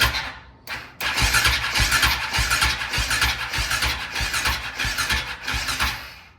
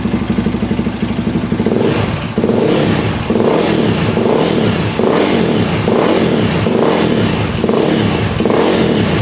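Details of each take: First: KTM 525 (Outlaw) with a no-run issue: starter spins the engine in a quick chugging rhythm for about five seconds without firing; battery too weak, compression test planned, a hiss heard while cranking. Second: KTM 525 (Outlaw) after fuel line clamps redone, no-run issue fixed, fuel tap on reserve: single-cylinder blips up and drops back cleanly in repeated pulls, no coughing or fuel starvation; running healthy again.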